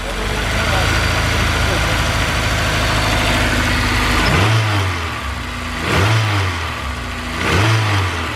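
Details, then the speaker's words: Honda S2000 with reported low power and engine noise, idling with drive belt removed: constant buzzing rattle through throttle blips; vibration from loose alternator missing its bottom bolt, knock sensor pulling timing. "Alright, go ahead and hit it. Still there, it's a vibration."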